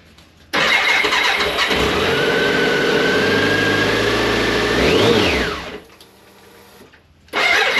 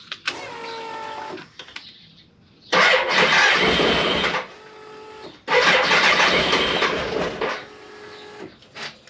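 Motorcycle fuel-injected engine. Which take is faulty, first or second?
second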